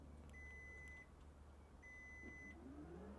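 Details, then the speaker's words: 2025 GMC Sierra EV Denali Max, powered front trunk closing: two long high steady beeps, then a smooth rising motor whir as the frunk closes; normal closing. "it's also cool that it is power let's see we'll close that up look at that"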